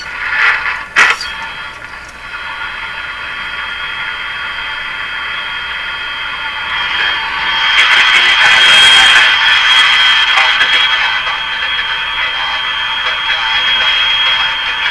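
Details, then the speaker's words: RCA Victor A23 tube radio on the AM band, after replacing the audio-circuit capacitors: hissy output turns harsh, rattly and gravelly on louder, lower voice tones as the volume rises, and the speaker is suspected to be shot. "hear that distortion there's a good chance that's the speaker let's put full power on the radio it's a good chance of speakers shot on this radio"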